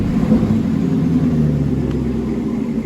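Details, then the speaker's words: 2016 Caprice V8 (6,081 engine hours), which ran rough with a StabiliTrak fault and codes P0208/P0300, idling after repair: deep, even rumble with no stumbles or skipped beats, firing on all cylinders; fixed, normal idle. "I'd say she's fixed. But she runs a lot better too."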